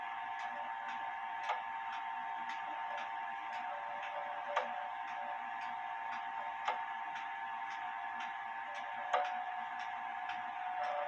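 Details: Pendulum clock out of beat: quiet ticks with a limping rhythm, gaps alternating long and short instead of an even tick-tock, while the crutch is being adjusted to bring it into beat.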